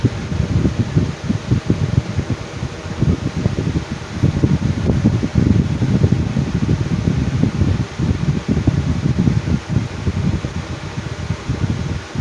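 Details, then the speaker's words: Lasko Cool Colors 20" box fan from 2019 on high: a fluttering, uneven low rumble and buzzing wobble that vibrates the table. Known balance issues, and no blade cracks or chips seen; out-of-balance blades suspected, not confirmed. "okay so now it's starting to act up a little bit and the table is Tables by vibrating along the fan bit now we'll we will power it up to high foreign"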